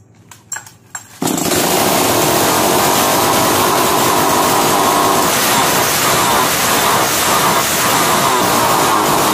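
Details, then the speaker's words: 652 (?) chainsaw with a starting problem, started on choke after a new spark plug was fitted with its cap tightened: it catches on the first pull and holds a steady high buzzing run, a normal start. "जैसा कि अभी आपने देखा नया powder लगाने के बाद machine एक बार में स्टार्ट हो रहा है"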